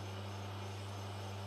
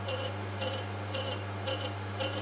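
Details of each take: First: Small lathe turning a part at a slower spindle speed: steady even hum with no chatter, slowing the speed having eliminated the chattering. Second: Lathe turning a flywheel at excessive rim speed with deliberate errors (drilled centre hole) to induce chatter: harsh, high ringing chatter pulsing about twice a second over a steady motor hum.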